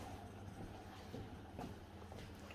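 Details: Whirlpool dishwasher running a test after its leaking drain pump was replaced: steady low motor hum with a faint swish of water, even, no rattles or grinding; running normally.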